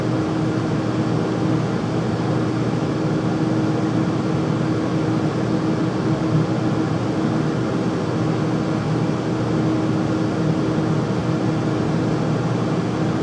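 Steady loud rushing roar with a faint constant hum through it, no knocks or change; furnace running noisily, cause unclear.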